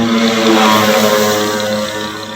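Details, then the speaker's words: Denpo bottom-load dispenser pump, opened (six bolts), retested on its adaptor: steady even motor hum, moves but draws no water. Magnifier later shows dirt stuck between the rubber valve parts. "lihat dan ini bergerak ini ya tapi kenapa tidak bisa sedot air ya"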